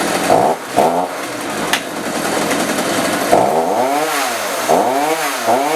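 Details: Chainsaw that previously wouldn't rev, with a bad spark plug, after adjusting the carburetor: two-stroke buzz revs up and drops back several times, pitch sweeping cleanly with each blip, idling freely. Normal running.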